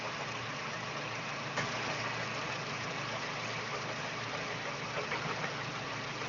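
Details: Daewoo Espero 2.0L at idle: faint, uneven light knock just audible under the hiss; foreign engine knock, cause not determined.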